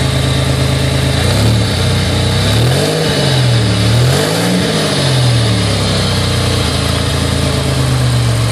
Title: Buick regal gse slightly warm misfire video..